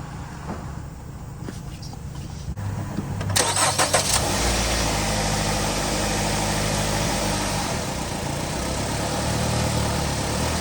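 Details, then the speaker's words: 2019 Ram Promaster City after rear bottom engine mount replacement, start and idle in rain; catches and settles into steady even idle, no rattle or shudder, vibration noise about 90% less, no engine jumping when shifting; new mount holding well. "Now there's no more vibration noise anymore. So before there was a lot of vibration noise. Now it's about, I would say, 90% less, and I don't feel the engine jumping when I shifting through gears."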